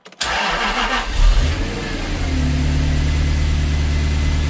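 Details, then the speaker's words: Jaguar XK8 V8 starting right after the new ignition coil is fitted to cure a misfire: quick crank, catches cleanly and settles into a steady, even idle with no stumble, now firing on all eight cylinders; check engine light still on until cleared. "oh beautiful we are now firing on all eight cylinders"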